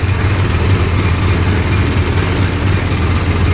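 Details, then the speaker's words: Hovercraft engine after a new coil and carburetor tuning (float level 24 mm, idle mixture screw 1 turn out), coolant still cold: steady, even low rumble with no misses, knocks or hunting; first successful run, normal idle. "And it sounds good. I'm going to have to get a tack on it."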